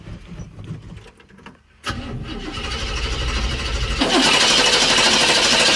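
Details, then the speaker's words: 1965 El Camino that sat untouched for years, first start attempt: starter churns steadily and grows louder but never fires; carburetor found bone dry, fuel starvation. "But it didn't. Yep. Then the battery died, so we had to give it some juice. And nothing."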